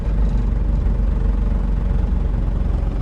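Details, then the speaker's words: 2007 Toyota Innova, 284,000 km, heavy clutch: heavy low droning rumble and shaking through the body when accelerating and pressing the clutch in gear, from a broken drive shaft joint and a collapsed gearbox mount. "നല്ല സൗണ്ടും ഉണ്ട്. Sound എന്ന് പറഞ്ഞാൽ ഈ body vibration കൊണ്ട് വരുന്ന സൗണ്ടാണ്."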